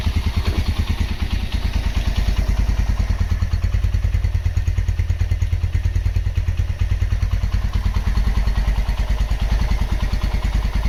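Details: Honda GL Max Neotech engine after full restoration/rebuild: steady, even single-cylinder idle with a regular low thump and light valve chatter, no knocks; normal idle.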